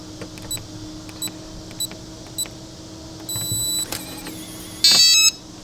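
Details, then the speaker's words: RVLock Keyless RV door lock, newly installed, locking after the default code 1234 is entered: four short keypad beeps, then a brief high whir as the motor drives the deadbolt out; it works normally. "is locked. It is locked. You can see the deadbolt came out."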